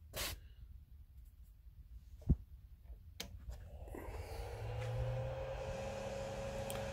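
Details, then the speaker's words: CTC10-S 3D printer switched on with the SD card pulled out: a few faint clicks, then a small fan spins up into a soft steady hum that rises slightly; normal power-on fan noise. "yeah that's the noise i usually get where i turn it on the fan right"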